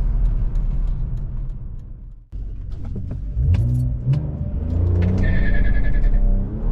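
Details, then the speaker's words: BMW E46 325ci petrol six driving after self-welding its leaky headers, leaking about six months: clean, firm, even exhaust bark through the revs, loud but not obnoxious, no ticking or puffing from the headers; healthy, leak-free exhaust. "They still have a good bark. Just loud enough so you can hear them, but not obnoxious."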